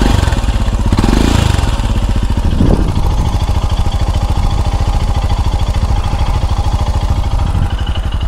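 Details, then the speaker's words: Royal Enfield Himalayan Euro 5 after inlet and exhaust valve clearance adjustment, mic right over the engine: single-cylinder thumps evenly at idle, about three pulses a second, no ticking or tapping; sounds healthy. "fuel pump yeah the fuel pump here we go then [Music] well [Music] I think that sounds okay"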